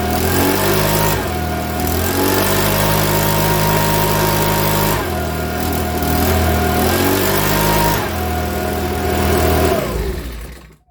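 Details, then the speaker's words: Makita BHX2500 four-stroke leaf blower after valve clearance check and timing work: starts and runs, stepping between high and lower speed but still spluttering slightly with a few rough stumbles; owner still not happy, suspects it needs a new carburettor. "now that starts up don't get me wrong i think it i'm not happy with it spoiling a bit still but you can still hear it"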